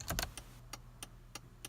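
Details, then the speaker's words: 1989 Toyota pickup 4x4 with LED blinkers: after replacing the flasher relay, crisp relay clicks about every third of a second, a normal flash rate with no more hyper flashing. "No more hyper flashing. Let's go back over here. Yep. Exactly what it should do."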